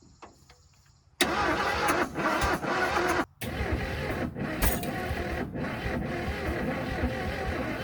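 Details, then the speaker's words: Ford F150 bullnose, seized and flooded engine sitting 14 years, first start on ether: catches and races unevenly with ragged stumbling surges; sounds way out of time (distributor to be adjusted), exhaust possibly plugged with mud, unconfirmed. "yeah I'm going to loosen this distributor cuz it really sounds like it's out of time"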